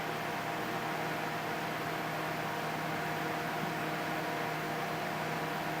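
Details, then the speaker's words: 1973 Sears Coldspot dehumidifier, model 106.639140, after cleanup and oiling of its fan motor: only a soft, even fan whoosh and a faint hum with no rattles; it runs quietly and healthy with the coils cooling. "so you can't even hear the compressor at all and I Heard It Go drone when it came up but it was like so quiet yeah once the fan gets up to speed it it you just don't hear it"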